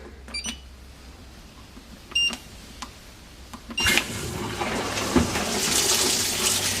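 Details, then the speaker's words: Fisher & Paykel MW511 washer after a fix for error code 130 and rotor reinstallation, first test run: light clicks, then steady water fill rush with even churn, centre agitator spinning. Normal fill and agitation. "so as we can see now we've got a bit better result the bit in the middle is spinning which means it's fixed pretty much"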